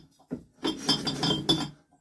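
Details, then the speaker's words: A vintage Villiers engine rescued from a scrap heap is turned by hand after its sump was bolted back on. Bright metallic clinks and rattles come from the loose flywheel, not from mechanical damage. "that noise has just the flywheel rattling let me take that off if not you guys are gonna oh you've got mechanical damage in there now we ain't got mechanical damage it's just the flywheel loose there you go"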